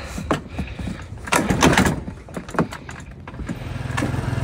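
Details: Chinese scooter, in cold weather, got running after a struggle and starting fluid: kicks and clatter, then it catches at about three and a half seconds and settles into a steady, quick putter. Hard starting.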